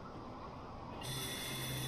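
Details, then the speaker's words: Suguna 0.5 hp monoblock high-speed motor SPM50, after repairing a broken capacitor wire (would not run): quiet, then starts into a steady low hum with faint even whine; runs smooth and healthy. "చూడండి friends, run అయిపోయింది motor. చూసారు కదా ఎంత స్మూత్గా run అవుతుంది motor."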